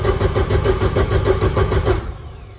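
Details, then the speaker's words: Freshly built turbo Volvo wagon drift car on MegaSquirt, previously non-starting, after correcting crank trigger setting from 24-2: rhythmic pulses about five a second as it turns over and fires, flames from exhaust and intake. Engine starting. "I don't know that the firing order is correct. I do have the timing pretty close, and it's blowing flames out the exhaust and out the intake."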